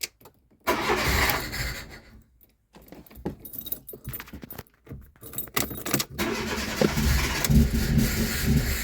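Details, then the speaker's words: Old Fiat after a part replacement: engine catches after cranking but runs lumpy and uneven, misfiring; owner suspects ignition coil packs, engine code to be checked. "NOP still sounds like crap uh I will see if that's same engine code I will need to clear that actually uh I think the ignition cor packs are gone as well"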